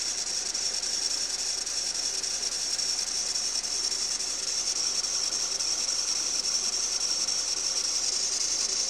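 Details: Renault Duster 2.0 F4R: steady high hissing rustle from the alternator belt area; tensioner pulley bearing replacement didn't help, water spray stops it, owner concludes the belt is at fault (possibly embedded stones), fix is belt replacement.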